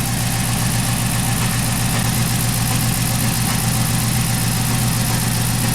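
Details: 2011 Chrysler 300 after cam and both heads were replaced, with a shaky engine and P0300 code: low, lumpy idle with an uneven pulse a bit under two per second. Misfire traced to faulty oxygen sensors, not ignition.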